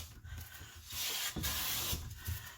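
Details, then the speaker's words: Clifton 5½ hand plane after its tracking fix, with a waxed sole, taking a light shaving from the center of a walnut board: a steady, even hiss with no chatter or skipping. A clean cut. "i just started to take a little bit of a shaving from the center"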